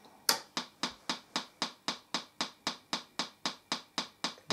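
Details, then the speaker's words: TPA3122D2 Class D amplifier kit with replacement IC, fed from a computer: sharp even pops about four per second with no signal, distorted output; cause unknown, cleared after power cycling. Crackling popping output. "I got it hooked into the computer and it sounds distorted as hell if I play a piece of music sounds right now but it is the story"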